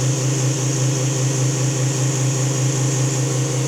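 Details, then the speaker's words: Newly installed fuel transfer pump running under load, pumping fuel back into the other side of the tank after the valve is opened; low, steady motor hum with an even pulse, no surging or grinding; normal, delivering fuel. "That's delivering fuel."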